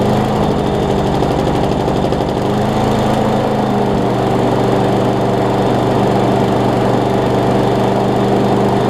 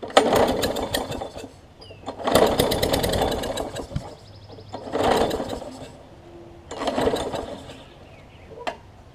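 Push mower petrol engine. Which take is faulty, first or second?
second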